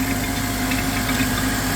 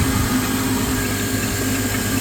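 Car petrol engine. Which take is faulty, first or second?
second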